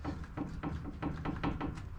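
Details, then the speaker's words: Land Rover Discovery 3/LR3 front left wheel raised and rocked by hand: irregular dull knocks about four a second from play in a cheap hub bearing after only four months; being replaced with Timken hub assembly. "so the way to check your wheel bearing is just to wobble it back and forth um i've got play in mine you can hear it so"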